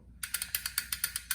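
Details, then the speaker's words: Bicycle freehub after cleaning and reinstalling, wheel freewheeling: crisp, even clicks about eight a second, easing as the wheel coasts down; healthy pawl ratchet. Before cleaning, the freehub held and dragged the chain forward. "So this is why this needs to be cleaned out, and that's what it should sound like."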